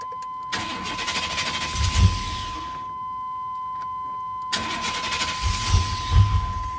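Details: 1999 Chevrolet Tahoe 5.7 4x4. Two cranking bursts of about two seconds each; the starter turns steadily but the engine never catches: crank, no start. The fix was replacing cab fuse 21 on the driver side and cleaning its heavily corroded contacts.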